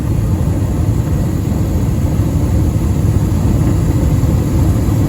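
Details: Comfortmaker gas furnace recorded with the phone held close to the burner flames: steady deep roar with an even flutter and no pops or rumble surges; the burner is firing normally.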